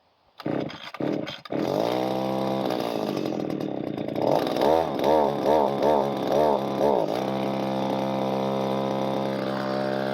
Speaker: now it runs I definitely got play around that carburetor sounds like it's got to be the high needle right is out of adjustment or something no throttle response to it